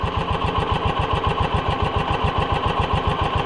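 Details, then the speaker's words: Side-by-side with power bed, idling smooth and even at three to four pulses a second with no misses; runs well but very low on power and sluggish, fuel delivery to be checked. "This one idles good and runs smooth,"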